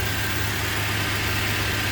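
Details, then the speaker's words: 2004 Toyota Tacoma SR5 2.7L after the faulty ignition coil behind the P0304 cylinder 4 misfire was replaced: an even, smooth low rumble with no stumble, and the hoses no longer shake. Normal idle. "este estaba tiemble tiemble el motor ya no ya no tiembla está suavecito suavecito"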